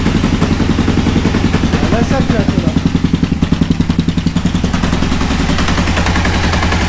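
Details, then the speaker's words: Aprilia RSV Tuono 1000 V-twin after over-rev from missed shift (2nd instead of 4th at limiter): sharp regular clacking three to four per second over rough running, owner says in the clutch. Internal damage, exact part unknown. "Et ça claque dans l'embrayage."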